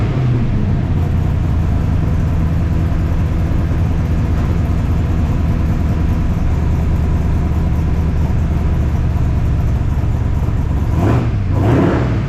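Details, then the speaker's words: 1978 squarebody Chevrolet V8 after installing 3-inch exhaust with Flow Monster mufflers: deep, steady rumble, even beat, no knocks or misses, much quieter; slight valve train noise from full roller rockers considered normal. "everything seems to be working great exhaust sounds good it's way quieter"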